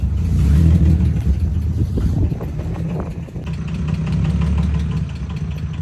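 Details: VW Golf Mk1 (VR6 tagged) with broken exhaust awaiting repair, revved; loud, raspy, blatting note swelling with each throttle blip and uneven at idle. Broken exhaust.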